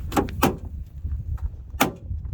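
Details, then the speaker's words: 2007 Mercedes-Benz Viano W639 front door opening and closing with sharp, loud clicks, two close together then another; most likely cause is a worn door holder catch strap mechanism needing replacement. "This sounds pretty bad. Most likely your issue is this door closing mechanism here."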